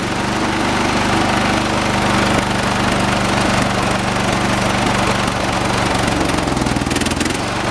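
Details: 1986 John Deere 216 16 hp tractor during carburetor mixture adjustment outside: loud, uneven thumping putter about four beats a second, wavering as mixture changes; rough running, engine runs but not smoothly.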